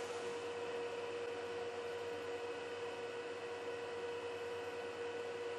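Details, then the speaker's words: Juniper EX2200 switch booting with stock fans: constant airy fan rush, steady hum, no speed change, about 50 dB in front, too loud; fans to be swapped for Noctua. Loud cooling fans. "yeah I don't like that that's too loud I mean that's that's just from the booting so as you can hear it will get a little bit quieter but it's still relatively loud"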